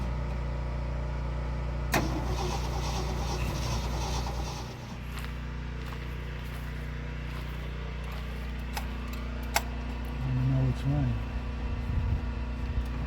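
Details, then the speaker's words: 1972 Ford F250 truck, carbureted, after its throttle stopped working: starter cranks briefly with clicks, no catch and no run; not getting fuel through, owner wonders about the accelerator pump or a clog. "What part of it's not working? It's not getting fuel through."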